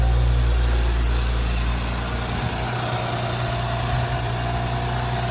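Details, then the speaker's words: Crash-damaged Audi S5 at its first start after a turbo rebuild and a fresh 5W30 oil fill, with no coolant added yet: a steady high-pitched squeak rides over a smooth idle. Belts suspected, not confirmed; the engine otherwise sounds sweet. "Yeah, sounds like the belts, but engine sounds sweet."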